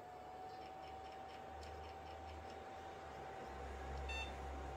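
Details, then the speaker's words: Second jukebox mini Pentium PC at power-on: one short high beep over quiet fan hum, so it passes POST, with slight clicking from the hard drive. It goes on to boot Windows XP. "that's got one beep there's a slight sort of clicking from the hard"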